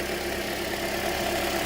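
Steady, smooth idle with an even rhythm and no misses or knocks; the engine is running cleanly.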